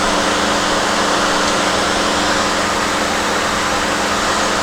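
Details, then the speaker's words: 2007 GMC Acadia, 248,000 miles, after charge port valves replaced, system evacuated and recharged with about 1 kg R-134a: steady blower and compressor hum, no cycling or squeal, 50-degree vent air; normal A/C operation. "it's 50 degree air i don't know you can ask for much more than that"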